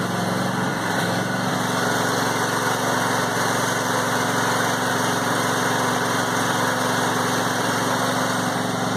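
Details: Brand-new John Deere E180 25hp lawn tractor (0.1 hours), first start on a little fresh gas with no choke and foot on the brake. The engine catches quickly into a steady, even buzzing run with no stumble or misfire, a normal cold start.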